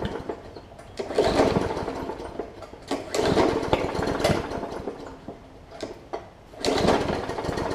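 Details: Hyper Tough push mower with Briggs and Stratton OHV engine and plastic carb, sat over winter with water in the old fuel; repeated pulls bring short popping, sputtering bursts that die away, water likely on the plug, engine won't catch yet.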